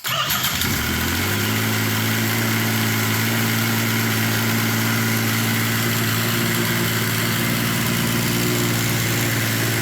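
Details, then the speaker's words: First start of a Yamaha triple swapped into a UTV after the old engine blew (suspected water pump, connecting rods); owner thinks it resembles the YXZ engine. Quick start, then a steady, even idle, no knocks or misses. Normal. "h hell yeah sounds good doesn't it sounds good"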